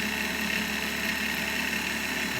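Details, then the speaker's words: Universal Pillar Tool's motor and blue drive belt, with the ends melted together, at full speed: steady whir with a slight wobble that settles, not vibrating much, no slapping, normal belt drive running. "too bad. It's not real stretchy. It's like it finds the right frequency and settles in, and it's not vibrating much at all."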